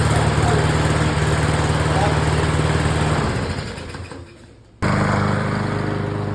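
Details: Briggs & Stratton 675EX mower engine that wouldn't start, just repaired and reassembled: fires and runs with a steady, even chug, dips briefly, then picks back up and runs cleanly.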